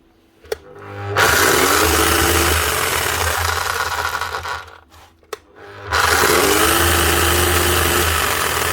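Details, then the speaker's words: Bosch or Milwaukee rotary hammer, about 2019, runs up twice with rough spluttering motor roar, sparking and uneven clicking: burnt armature, not just brushes, plus stripped gears clicking in the gearbox; judged a total loss. "I know it sounds like there could be brushes gone but that Armature is actually gone to on top of that you can hear the gears clicking away up in there"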